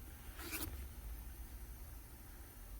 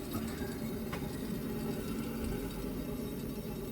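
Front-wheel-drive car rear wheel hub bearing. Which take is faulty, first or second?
second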